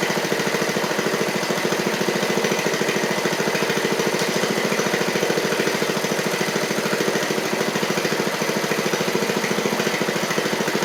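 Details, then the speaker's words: 7-year-old MTD Murray riding mower, oil slightly low, with a missing valve replaced: single-cylinder engine pulsing unevenly about 3.5 times a second and stumbling after running great at first; owner suspects water in it. "why did that might be some water in it darn it run ran great right off the top there"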